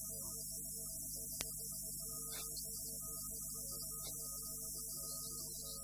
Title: trinitas costila zgomot pe stereo